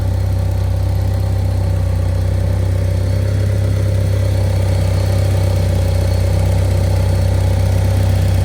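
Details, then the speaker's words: Eclipse running again after engine failure, first drive in 6 years, 5°F cold start: loud, even, low idle with steady pulse, no misses or knocks; runs well though temperature creeps up at idle and alternator bracket bolt has slipped. "She sure does run good though."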